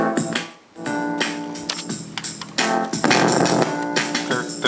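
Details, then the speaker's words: Biamp Advantage 601E 6-channel line mixer playing music; harsh crackly distortion breaks in when the channel add buttons are pressed, from dirty switch contacts and noisy pots, with aged filter caps and supply ripple also found. "you can hear that distortion it's just something terrible when you hit these add buttons"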